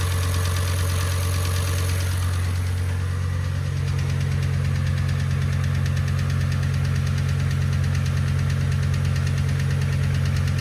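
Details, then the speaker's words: Audi RS6 V10 at idle, earlier footage from first engine start: steady low drone with fast, even light ticking from the cylinder head, traced to a FEBI hydraulic lifter (cam follower) believed faulty; warranty declined. "I wasn't really happy with it and the tapping noise from the cylinder head was a reason why I move the engine the second time however I did find out we have a problem with one of the hydraulic lifs which I believe was faulty"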